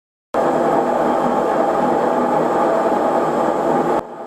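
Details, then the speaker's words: Kenmore front-loading washer model 417.44102301 in spin cycle, before drum bearing replacement (kit 131525500): loud, steady roar with rough, gritty edge. Worn drum bearings. "hey guys justin here and that is the sound of my washing machine so i did some research on what was causing that and i was pretty sure it was bearings"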